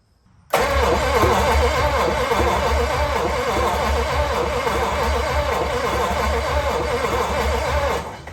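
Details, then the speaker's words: 1956 DeSoto Firedome, barn-stored 24 years: starter cranks steadily seven seconds with no firing; cranks but won't start, no spark suspected; carburetor, distributor points and spark plugs to be checked next. "I'm going to take the distributor cap off and we're going to take a look at uh our points. And then we'll take a look at a couple of our spark plugs as well and see what we can find. I doubt we have spark is probably issue."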